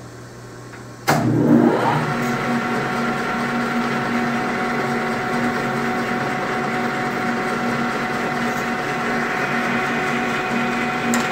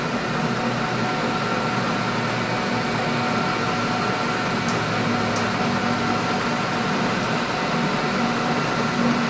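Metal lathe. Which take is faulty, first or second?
first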